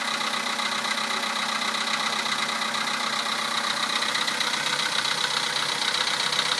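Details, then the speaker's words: 2011 VW Polo sedan, 64,000 km, Liqui Moly Molygen 5W-40, 98-octane petrol, cold start at +2 °C: sharp, fairly regular tapping, about two a second, over the idle; the knock lasts longer as mileage grows, cause unknown; cold-start knock. "Такой вот неприятный стук. Уже задолбал."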